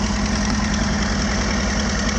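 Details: 1981 Toyota Tercel, carbureted, just jump-started from a dead battery: even, steady low idle with a smooth unbroken rumble, no misses or knocks; running fine after the start.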